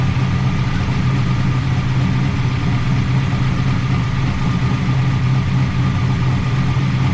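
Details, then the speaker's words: 1988 Chevrolet Camaro IROC-Z V8 after replacing lifters that wouldn't stay pumped up and setting roller rocker lash: smooth, even idle with a steady low rumble and no more valvetrain tapping; some smoke. "listen to that cam baby listen to that no more tap tap tap"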